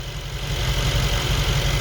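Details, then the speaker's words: 2021 Mercedes G63 V8, 108k km, after engine repair and reconnecting vacuum line, A/C on: steady even idle, no whine or pump chatter; normal idle. "now that's much better you don't hear the sound from the vacuum pump you don't hear the sound from the blow lower now you hear only the"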